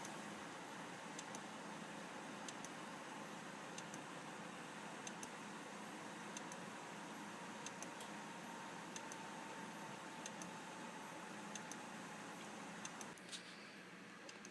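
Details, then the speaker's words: Sharp clicks roughly every second and a bit from a dead Seagate hard drive in an iMac: the classic click of death from mechanical failure. "that uh that sea gate drives you into classic skeet skeet skeet skeet ski click of death you know that sound"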